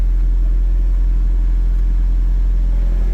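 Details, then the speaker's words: Turbo Toyota MR2 warmed about 10 minutes, idling about 1000 rpm with AC on to lower rpm, vacuum around 18–22; low steady smooth rumble with no misses, ticks or hunting; normal idle. "Um, and if you're a little higher, I've got the AC on just to lower my RPM, but that's about where my idle sits."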